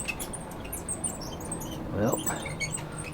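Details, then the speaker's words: 1967 Schwinn Rams Horn Fastback barn bike left neglected for decades, crank turned by hand: short, high chirping squeaks from seriously dry bearings. "oo that sounds good got some squeaky going on those are some seriously dry"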